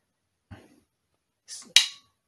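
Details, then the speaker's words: Toyota transmission shift solenoid bench-tested off the battery with a test bulb: a faint click on connecting the negative wire and a sharp snap on disconnecting it. The plunger moves freely, so the solenoid passes. "so do you hear that big click once I took off the wire from the negative it also clicks when I connect it but not as strong as when I disconnect it"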